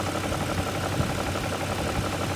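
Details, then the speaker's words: BMW E39 540 V8 idling after timing chain tensioner replacement: steady, even, quiet idle with a soft uniform hum, no rattle or slap, only a faint light ticking, which the owner thinks they all do; healthy. "Because it is so quiet. There's still just a little bit of noise, but I think they all do that."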